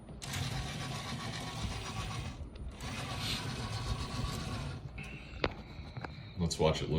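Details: Technics SL-MC7 CD changer after replacing a worn belt that had stopped the carriage moving. Soft motor whirring, then sharp clicks as the disc seats, an even, unstrained load cycle; the loading mechanism works normally.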